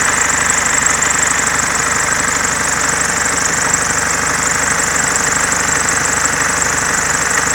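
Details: Mercedes C-Class S202 220D estate diesel at idle: harsh rough rushing noise with a chattering edge from the accessory belt drive; owner suspects alternator freewheel pulley or belt vibration damper, unconfirmed.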